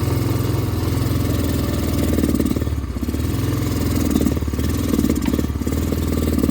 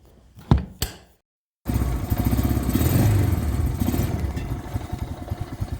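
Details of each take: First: Honda Rancher 350 ATV starting up an embankment in second gear: low, labouring note sagging and stumbling instead of revving; angle sensor, CDI and vacuum line fixes failed, suspected carburetor jet. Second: Honda Rancher 350 ATV after the carburetor jet fix: after a few knocks and a pause, the single settles into a steady low thumping idle with even beats and no stumbling; then climbs hills without bogging in second.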